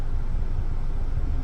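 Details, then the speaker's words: 2016 Hyundai Elantra, 89K miles, idling while stationary: steady low rumble with no knocks or uneven beats; auction reported motor noise and vibration at idle, but it feels like a normal running car. Normal idle. "Um, it just feels like a running car to me."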